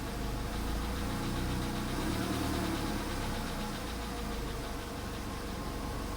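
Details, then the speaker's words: VW Polo sedan with almost 100,000 km, after a cold start, throttle just released: low, uneven, lumpy idle that stumbles as if misfiring on a cylinder. The engine already knocks at idle, and the knock stops around 1500 rpm. Cause not confirmed. "Еще что-то странно себя ведет, конечно. Очень странно себя ведет. Теперь как-то троит прям хорошо так."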